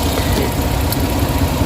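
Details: Suzuki Big Eye (DA64/DA63) engine vibrating with the AC on, with no check-engine light. The low idle is uneven and lumpy. Weak independent ignition coils with oil inside them were found; the oil points to a combustion-chamber or spark-plug problem.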